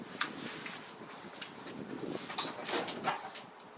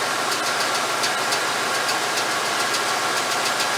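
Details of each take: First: 1989 Chevy K5 Blazer GM TBI V8, startup before warm-up: catches and settles into a loose, soft idle without the bark against compression; ignition timing retarded, not advanced enough. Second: 1989 Chevy K5 Blazer, GM TBI engine, after setting ignition timing and reconnecting the ECM advance connector (an estimated 16-18 degrees advance at idle): smooth, even idle with a light steady patter, no heavy knock; quieter, now starts properly.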